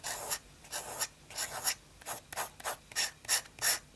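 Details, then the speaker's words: Inexpensive fountain pen from a viewer, before nib adjustment: sharp papery scratching in short bursts with each stroke, about ninety a minute; nib tipping too sharp, dragging and collecting paper residue, to be smoothed. "but the problem is that it's it's very scratchy. Just just listen to this."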